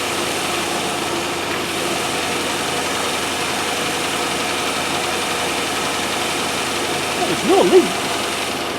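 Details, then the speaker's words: 1997 Land Rover Discovery 1 on a stand-in battery, shortly after first start: the idle is smooth and even with no misses or knocks, but sits a little high. "well it sounds uh even enough it's a little bit high idle but i mean you can't of everything"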